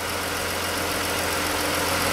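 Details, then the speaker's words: 2013-era Chrysler 3.6 Pentastar after replacing worn roller rockers and lifters to cure the rocker tick: steady, even idle with a smooth hum and no ticking from the top end; no codes, quieter idle. "but it didn't blow up not throwing any codes quieter idling's good"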